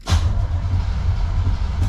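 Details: 1966 Corvette Stingray 327 V8, clutch pushed in, starter cranking the engine over: steady deep churning rumble with no grinding or clicking; 12 volts not yet hooked to the HEI distributor, so it cranks normally without starting.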